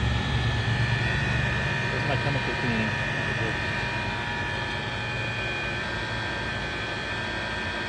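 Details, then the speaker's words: Tesla making a noise only with the AC running, loud enough to hear from far away: a steady high-pitched whine with several fixed tones over a low hum. Owner first blamed the compressor, now suspects the condenser/radiator fan and plans to replace it. "I'm pretty sure it's this noise if you have this when the air conditioner is running only I think it's the fan I thought it was the compressor"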